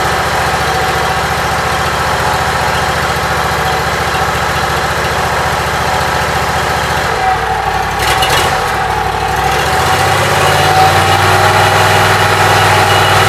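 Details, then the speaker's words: Briggs & Stratton Vanguard engine just after rewiring, started on choke, battery at 12.53 V steady: even single-cylinder idle with a brief blip near the end, running smoothly and healthy. "It's 12.53 now that it's running. It's not going down, but it's not going up."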